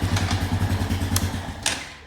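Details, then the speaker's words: 2001 Honda Foreman 450 ES ATV revived after sitting, in gear with light throttle after freeing seized brake: steady, even single-cylinder thump easing off cleanly; running pretty good; normal running. "This thing's running pretty good. Still smells like mouse pee after it heats up good."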